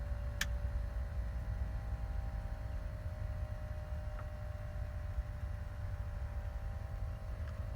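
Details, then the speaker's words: 12 V Danfoss/Secop BD compressor in a 65-litre portable fridge freezer, speed resistor shorted via switch to cut draw from 7 A to 4 A; quiet steady hum, no knocks; compressor slowing to reduced speed. "so now we've actually shorted that resistor straight past it as if it's not in the line and here the compressor slowing down can you hear it slowing down and slowing down and slowing down"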